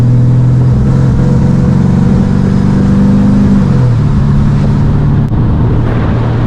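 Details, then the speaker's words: 1985 GMC Sierra C10 with 5.3 LS swap, on the road warmed to 180: engine drones under throttle, then falters and drops away, a stumble under load. Crank, cam, MAP sensors, coils, injectors checked fine and throttle body replaced; cause unknown. "but anyway we're about to stumble on our face here watch this"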